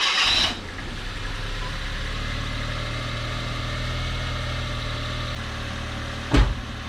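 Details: Suzuki Every DA52V van first start after timing belt work, with water fed to the cooling system, cold: a quick crank catches at once and settles into a smooth, even idle with no knocks or misses; healthy start and idle.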